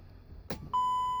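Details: 2011 Mercedes Sprinter diesel with an intermittent no-crank, no-start: glow plug light won't come on and the DEF light blinks; a click then one steady high beep, engine never turns over; battery connections checked and above 12 volts.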